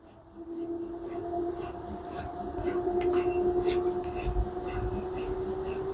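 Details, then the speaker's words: LG washer model F4V5RGP2T, under one year old, running empty in quick test mode: a smooth motor hum rises in pitch as the drum climbs toward 1400 rpm, with no abnormal bearing, shaft or drum noise. "Now machine is empty. You can hear the noise. No any abnormal noise from the bearing, shaft, drum, everything perfect."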